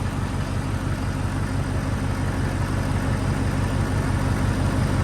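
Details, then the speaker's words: Ford 6.7 diesel truck after an alternator replacement: an even, deep clatter idle with no stumbles. Battery read 12.8 V before start and 14.6 V running, so it is charging again. "so we got it all running the voltage on the battery was 12.8 i just started it up i tested with my multimeter and it's showing 14.6 so it's trying to charge up that battery a little bit"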